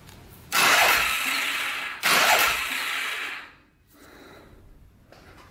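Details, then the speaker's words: Polaris Sportsman 500 4x4 bought cheap as a non-runner with no spark: two long starter bursts with harsh whirring, engine barely turning over and never catching; owner suspects cranking too slow for spark, starter gear looks messed with. "NOP that might be why it doesn't have spark it's because it's not turning over fast enough"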